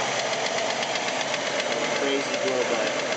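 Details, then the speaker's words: 1989 Jeep Wrangler YJ engine: sharp steady top-end knock only in gear, not at idle, with excessive blow-by in gear, erratic vacuum gauge, smoke at start, hesitation and surging below 2200 rpm; cause unknown. "This is all in gear. Once again, the knock only happens in gear."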